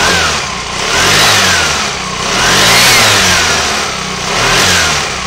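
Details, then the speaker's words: Aprilia Sportcity One 125 (2008-2015) scooter engine on stand, 13 kg compression: revs swell and fall smoothly, no odd noises or white smoke, stand vibration audible; variator and clutch working correctly. "No se aprecia ningún sonido extraño en el motor. La respuesta de las vueltas es muy buena. No echa humo blanco, que sería un síntoma de consumo de aceite. Se oye una vibración que es la que transmite el caballete al estar apoyado en el suelo. El variador y el embrague se ve que funcionan correctamente."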